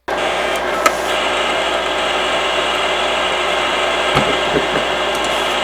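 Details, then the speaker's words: Imation LS-120 SuperDisk drive reading an official SuperDisk: steady high whir of the disk spinning up and running evenly, with a few light head clicks. It reads the 120 MB capacity; normal spin-up and read. "So that sounds okay so far. It's not doing anything funny with the disk inserted."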